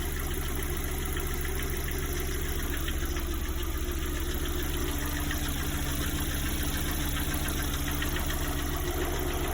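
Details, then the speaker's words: Lada Priora, 58,000 km, warm idle; faint uneven tapping two or three per second that appears only once warmed up, silent when cold; owner says not hydraulic lifters, suspects piston knock. "Это не гидрики. Как будто поршень, что ли, стучит. Да, только при нагреве начинается."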